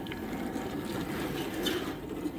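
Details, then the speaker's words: Samsung DW80M2020US dishwasher after water inlet valve (DD81-02265A) replacement: steady even hiss of water filling and spraying inside, strong pressure, spray cycle on and off normally, no leaks; normal operation. "the spray cycle turned on and turned off normally the water pressure sounds like it's strong and i could hear the sprayer spraying around inside there"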